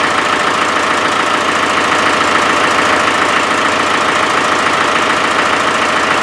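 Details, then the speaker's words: Land Rover 300Tdi diesel at steady idle: regular puffing chuff about three times a second; owner believes compression is escaping around the glow plugs; glow plug compression leak. "I think we've proved the point that when I could hear that chuffing it was probably coming out of somewhere these in glow plugs"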